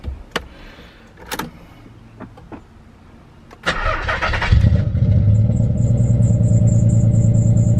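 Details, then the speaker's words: Nissan 300ZX with a misfire after the coil pack was checked; engine cranks, fires and settles into a steady, even idle pulse about three beats a second, no stumbling; way smoother now, misfire gone. "I don't know if it's fixed or not until I get up here that's way smoother now"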